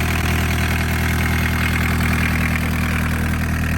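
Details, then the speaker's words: Barn-find VW Caddy pickup with a mechanical diesel, off the road for more than 20 years, restarted: steady, even diesel clatter at idle with no missed beats or lumpiness; normal idle. "It sounds perfectly fine, doesn't it? It's not missing or anything, it's just tickling I away."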